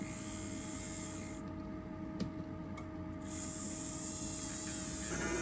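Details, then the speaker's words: 1964 Athearn F-unit model locomotive motor on test bench: small motor whirring with steady mid-pitch whine and hissy rasp; sounds bad, draws over 2 amps stalled; owner suspects thick grease or brushes. "sounds bad."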